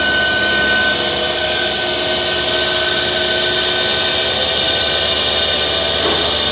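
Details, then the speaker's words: 12 V AC compressor running normally after replacement, drawing about 13–15 A unloaded: steady electric whir with high tones and hiss; audible noise is mounting vibration, not the compressor itself, which is sucking and building pressure. "तो ये compressor की आवाज़ नहीं है, इसकी vibration है। ये देखिए, ये सेक्शन भी कर रहा है और साथ साथ डिस्चार्ज भी, प्रेशर भी बना रहा है।"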